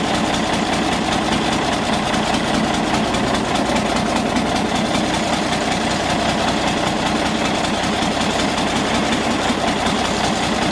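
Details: Galion T500 motor grader diesel, sat 14+ years since 2007, running after restart with fuel turned back on: steady, even clatter holding constant speed, no misses or knocks; running normally.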